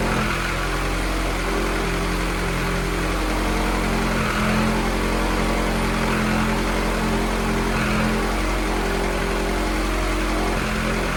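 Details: F24 engine, run of the newly installed motor before tuning: a smooth, even idle that picks up cleanly when blipped, with no knocks, ticks or misses. Responsive, no leaks; normal idle and revving.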